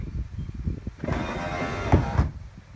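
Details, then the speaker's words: C4 Corvette flip-up headlight motor after repair, with the spring now seated correctly so the limit switch stops the motor: a short whir for about a second, then a clean stop with no clicks or lingering hum. Normal headlight motor operation. "So now that I've got spring right, once they go down, I don't hear any weird clicks or humming noise from my headlight motor, and that's it."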